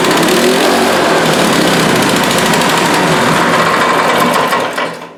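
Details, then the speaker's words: Honda engine on a Husqvarna aerator after the owner cleaned the carburetor, runs on choke but off choke races as if the governor is stuck: screams at steady high speed, never returns to idle. "we take it off the choke it wants a scream so that's uh the governor's out of whack as far as I'm concerned"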